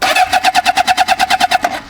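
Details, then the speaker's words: 1977 Honda CB750 barn-find project, fitted with a welded-on Amazon muffler, cranking on the starter: even steady rhythm of about eight beats a second, no misses; compression sounds healthy. "You can see right there, it does sound pretty healthy."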